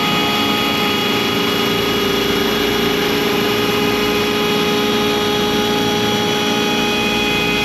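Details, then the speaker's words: ShopBot CNC spindle V-bit cutting 6061 aluminum door pulls, loud steady high whine with hissy cutting noise, loaded down and straining in the cut; a clearing pass is planned to stop the bit contacting two aluminum sides at once. "We're going to have to we're going to have to do another pass cutting all of this out clearing for that because I don't want the V bit hitting two sides of aluminum at the same time. It's you can really hear it strain under that pressure."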